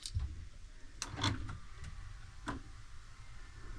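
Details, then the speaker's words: Dodge Magnum undergoing Hellcat/Scat Pack swap wiring, about 22,000 miles, first power-up with displays and console connected: soft, irregular ticks and clicks as blend-door motors home; normal HVAC actuator ticking. "Okay, it sounds like the HVAC system is actually working like normal."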